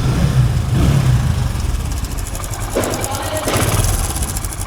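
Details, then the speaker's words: Hero Splendor iSmart 110cc single, chain already replaced 500 km earlier: starts and idles with a fast light metallic chatter over the beat; timing chain rattle, slack chain from a failed tensioner. "You heard the sound of timing chain this sound is timing chain"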